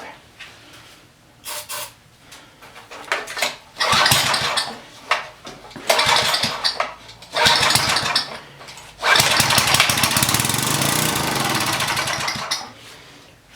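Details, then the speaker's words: Coleman Powermate pressure washer (1500 psi, bought as-is, has oil and gas, primer): pull-start cranks, brief firing that catches and dies, short run fading out; runs only on starting fluid, carburetor found badly gummed/clogged. "all right she will run but she won't run without any starting fluid"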